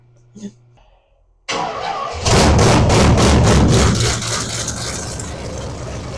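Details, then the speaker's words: Old 350 small block V8, possibly mild dirt-track build, in a 1963 Chevy Impala after sitting 18+ years: cranks, catches, flares loud, then settles into steady deep idle; normal idle. "definitely sounds like a 350 small block mile maybe a mild build 350 small block yep sounds like a good old 350 small"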